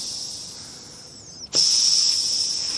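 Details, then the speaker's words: Home-built Webster model engine, exhaust valve block on a Schrader-valve test rig before valve grinding, cylinder side pressurised: sharp steady hiss that holds without fading, pressure not exceeding 20 psi; air escaping through the gasket. "I think you'll be able to hear that when I pressurise it, there's a definite leak down."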